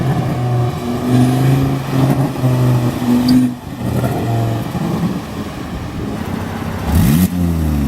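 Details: Volvo S40 T5 2.5 L inline-five, hard pulls: a loud raw roar with a harsh blatty open-pipe rasp from a blown flex pipe leaking after the turbo, like a catless turbo outlet.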